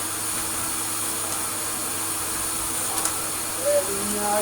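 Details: Hoover Compact Electronic S3462 vacuum cleaner after refurbishment with new foam filter and sawdust cleared: steady even rushing air with smooth motor hum, no rattles, surging or pitch wobble; suction motor running healthily.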